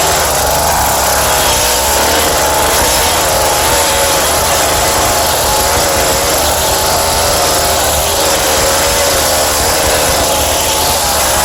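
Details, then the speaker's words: Scrapped Craftsman two-stroke cultivator, started with choke, starting fluid and throttle held, no air filter fitted: steady, even buzz at constant speed with no misses, surging or knocking; engine runs healthy (drive locks up, separate issue). "There she goes. Probably a little more choke. Let's hold the throttle down. This helps. She's got gas."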